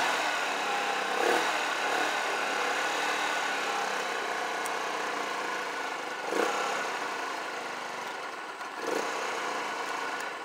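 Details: Auction scooter/moped with 1260 miles and a new six-pin CDI and coil, running after its black/white ignition wire was unhooked: the small engine putters at a fast, uneven, wandering idle that dips at times. The idle needs adjusting and the battery is weak.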